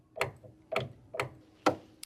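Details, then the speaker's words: Yamaha GB1 grand piano, one key: sharp, dry clicks about twice a second from the action, loose bolt letting parts touch; fixed by tightening the bolt and setting it in the right position. "Yeah, then I take this bolt here, it was loose here, like here, making extra sound when it was touching each other."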